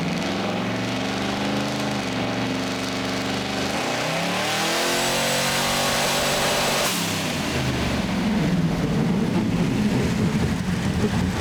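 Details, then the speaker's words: Boosted engine on dyno after boost-reference regulator fitted and new tune loaded: pitch climbs smoothly under full load, then cuts into a choppy stutter at the top; hitting rev limiter set too low at 5,800 rpm. "all right so I mean that's better but it sounds like it's now hitting a a REV liit so I'll go in there and check that out see what's going on"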